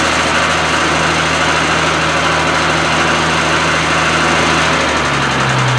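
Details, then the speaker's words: Triumph TR6 warming up just after starting from winter storage: engine catches and settles into a steady, even idle with a smooth low drone, no misses or knocks; normal idle. "it looks like it survived it's winter rest okay just got a warming up"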